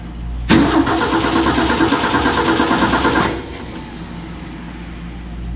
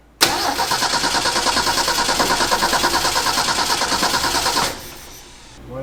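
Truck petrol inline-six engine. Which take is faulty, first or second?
second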